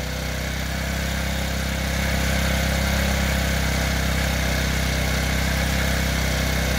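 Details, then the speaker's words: TaoTao 50cc Chinese scooter with a replaced carburetor: the idle climbs by itself, holds high and then drops back, enough to spin the wheels; a hunting idle whose cause is unknown, and the owner mentions valve clearance. "you'll see that it'll idle really high and then the hover idling high for a while and then go back down"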